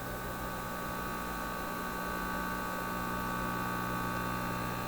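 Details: Teletone 67-600E record player's simple stereo amplifier: constant low mains hum with a buzzy edge, identical on both channels, worse with volume up; suspected electrical noise from modern devices, power supply suspected, hum not reduced.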